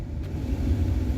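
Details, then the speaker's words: 1994–2004 Ford Mustang blower motor after replacing the blower motor resistor, engine running, switch stepped low, M1, M2 to high: smooth even whoosh and hum, no rattle, tick or squeal; normal high-speed operation. "okay so it's running in low running in M1 a little bit faster running in M2 even faster and running in high"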